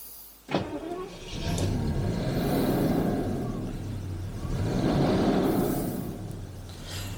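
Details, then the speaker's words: 1985 Jaguar XJS V12 revived after 30 years unused, oil pressure light out, oil pressure unknown: the engine rises evenly in two blips and settles back with no knocks, ticks or rattles; normal rev. "does r nice just wish I knew oil pressure and things but the light goes out and it doesn't sound weird"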